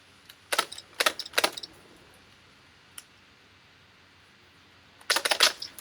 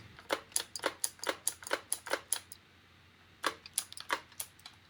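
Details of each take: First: Spyra 3 electric water gun after being dismantled, repaired and reassembled, test firing after filling: three quick sharp spray bursts, then a tight cluster a few seconds later, each shot crisp and clean; it is firing normally. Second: Spyra 3 electric water gun, unused for a while, showing E1 error and shooting no water after charging to 99%: only sharp dry clicks on each trigger pull, no pump or water sound.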